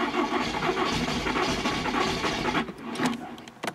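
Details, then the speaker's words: VW Polo with a known coolant leak that won't start: starter spins the engine with uneven churning but it never catches. Owner fears coolant in the cylinders from a head gasket; a faulty ignition lead is found. Crank no-start. "ne veut pas démarrer je pas insister regarder ce qui se passe au niveau des bougies au niveau des cylindres"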